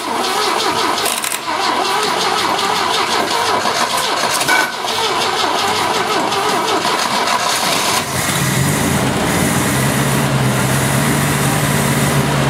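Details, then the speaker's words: 1970 Opel GT sat about 30 years, after carburetor change (Solex replaced, manual choke), new points, new Bosch Platinum plugs, choke fully open: cranks, catches, settles into slightly uneven idle with occasional stumble; misfire, cause unconfirmed. "it's still missing a little bit but it has the entire choke open over here it's been sitting a little while probably needs to be i feel like it's a little rough"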